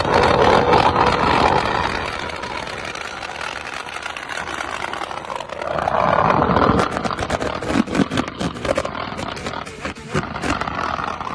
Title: MISFIRE 😱🔥🔥🔥🔥 #motovlog #shorts